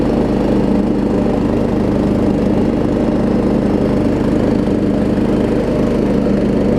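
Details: Troy Bilt Pony riding mower after its no-start was fixed (loose starter solenoid connection, new battery), with new blades: loud, steady drone with a constant low pulse under blade load, no dips or knocks; normal running under load.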